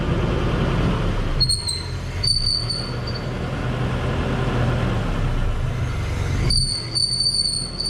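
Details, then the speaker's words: 1990 Nissan D21 pickup driven a few feet down a driveway at crawling speed before repair: a thin high squeal comes and goes over the rolling rumble from a worn driveshaft center carrier bearing. "I'll drive the truck a few feet down the driveway just to give you an idea of what that sound is like for"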